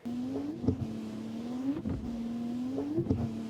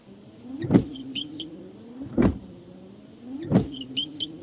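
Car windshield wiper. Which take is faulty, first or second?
second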